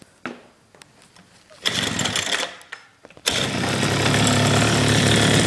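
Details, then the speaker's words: 1986 Honda Spree two-stroke scooter, first start after about 10 years sitting, running on a homemade brake-cable choke in place of the missing electronic choke bi-starter: it sputters, catches, then holds a fast, steady idle, though it won't drive off. "It's on the choke, the choke's on right now."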